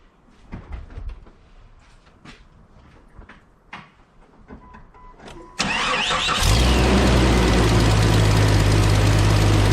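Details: 1998 Jeep Cherokee XJ 4.0 just after a water pump replacement, with the factory fan clutch reinstalled and the coolant refilled: some clatter, then a quick crank and catch into a steady, even idle with no knocks or squeals; normal start.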